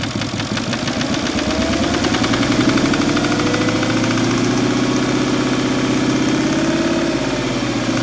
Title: Cayenne bruit moteur